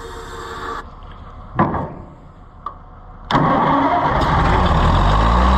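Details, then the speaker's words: Oliver 880 tractor after a carburetor rebuild, with fuel that is still mostly water: several seconds of sluggish cranking with faint uneven puffs, then catches roughly and runs loud and unsteady; water in fuel is the problem, fuel system needs cleaning. "that really ain't that impressive however it is running it's water though it's mostly water still so that's our problem"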